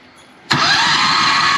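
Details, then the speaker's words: Golf cart with a new Harbor Freight Predator 670 engine swapped in, replacement clutch and changed spring: first start with a little gas, catches at once and runs steady and even with no knocks or misfires; runs normally. "little gas yep yeah it runs"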